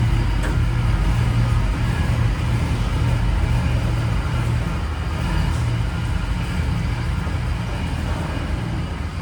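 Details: 1994 Chevy C3500 dually with a swapped LQ4 V8, just fitted with a homemade Y-pipe that has gaps. A deep, loud rumble with an uneven, lumpy beat instead of a smooth idle; still running rough, with a wiring or injector issue suspected.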